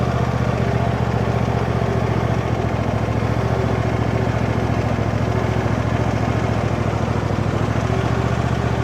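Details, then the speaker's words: John Deere D130 riding mower with mowing deck engaged: low, even engine hum, blades spinning smoothly with no scrape, rattle or wobble; extremely quiet, blade brake may be hanging up slightly; deck healthy. "Extremely quiet. Sounds like the blade brake is hanging up a little bit, though. Honestly, that deck is super super smooth though."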